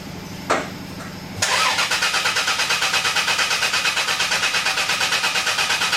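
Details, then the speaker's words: Caravan hard start: strong, even cranking about three beats a second without firing; fuel gauge on the line shows flow but no pressure, fuel pump worn out and unable to build pressure. "The fuel pump is so worn out that it is actually running but it can't overcome the resistance in the fuel lines to generate pressure."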